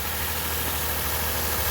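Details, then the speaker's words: 2006 Lexus IS250 petrol V6 at idle on first start after timing chain (stretched) and water pump replacement, with the ECU relearning. Old rattle is gone, but a slightly uneven, bubbling pulse remains; owner suspects a mild misfire, possibly spark plugs. "let me turn this off because she's got a little bit of a misfire happening"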